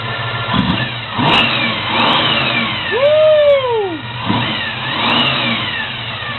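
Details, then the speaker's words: 1972 Chevy Monte Carlo SBC 350 with newly installed FiTech Go EFI, warming up, coolant 168°F: crisp throttle blips climb quickly and drop cleanly back to steady idle, no stumble or shaking; strong free revving. "woo that is what I've been waiting to hear come on can you hear that Vick you got fuel injection and it's strong"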